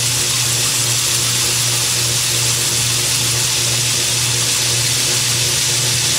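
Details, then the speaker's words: Boring the cylinder of a steam engine: steady, even cutting hiss with a constant low hum and no rhythmic squeal or buzz; a clean pass without chatter. "all right looking good so far looking good so far we've gotta make it to the end without any chatter"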